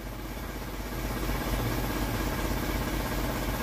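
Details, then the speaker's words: Isuzu Elf truck diesel after adjustment: low, even idle around 500 rpm with a steady beat, no knocks or misses; healthy, well-set idle. "Hai PPM ada di 500 ya Satukan 1000 kalau salah ya Monggo dikoreksi seperti ini untuk suaranya"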